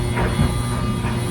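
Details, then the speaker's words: Samsung dryer, normal mode, eco off, loaded with a heavy wet load of towels: steady low electrical buzz with faint tumbling rumble from the overloaded drum; half the load removed to test. "And you can hear a buzzing sound. So what we're going to do first is go ahead and shut the system down, and we're going to put half of those towels back in the washing machine and lighten the load and see if that helps."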